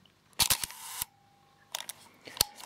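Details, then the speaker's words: Leica R6.2 35mm SLR shutter fired at 1/250 second: sharp snap followed by a faint steady whir for about half a second, which the manual says is normal at that speed. "And also, and I don't know why, but uh on two50s of a second, you get a funny wearing sound after the the shutter is fired. And according to the manual, it is normal."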